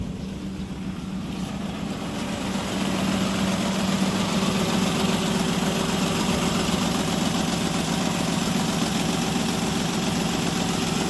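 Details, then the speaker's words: Toyota Wigo with blinking check engine light, idling high around 900 RPM (normal about 750), rattling and misfiring with air conditioning on: uneven lumpy idle with shaky low thump that never steadies; misfire. "so naka-check engine tapos pag nag-air conon rattling ang makina niya nag-check engine"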